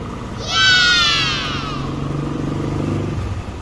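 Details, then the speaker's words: Yamaha NMAX warm engine idling smoothly and quietly with traction control off after fixing its ticking, at 3-4 bar; no ticking remains, with a brief chirp in the background. "so four bar na yan mainit na yung makina off lang natin yung traction yon y yan tahimik na aan so four Bar and then tahimik na yung makina niya"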